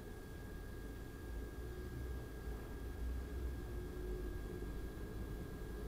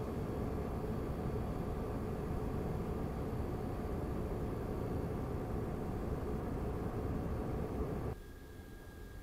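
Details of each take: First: Razer Core X eGPU enclosure with AMD RX 5700 XT at 100% load in the Unigine Heaven test: steady low airflow rumble with a faint thin tone, an even, healthy fan run. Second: Razer Core X Thunderbolt 3 eGPU enclosure with an AMD RX 5700 XT, microphone at a fixed distance. The stock fan gives a loud steady air roar at 100% Unigine Heaven load, then drops to a quieter hiss. Part of the before/after test of a Noctua NF-A12x25 fan swap.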